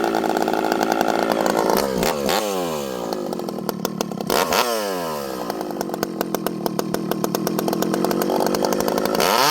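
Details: Rebuilt ported 85cc Stihl 064 with new piston, clutch, big transfers and pipe, fitted with a new carb, high jet about 1 turn, cutting slightly frozen American elm: high scream dips slightly as it bites and recovers quickly; huge chain speed, pulls strong and clean.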